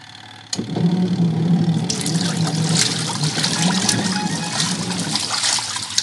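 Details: Noisy washing machine that barely spins: a loud, rough grinding roar starts with the drum and holds steady over splashing water.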